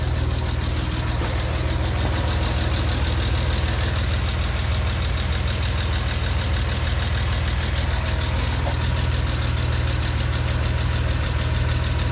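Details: Porsche Boxster 986 at hot idle after spirited driving: fast even light ticking about three per second over deep hum, mostly from driver's side, vanishing after parked two minutes; lifters or exhaust suspected, cause unknown.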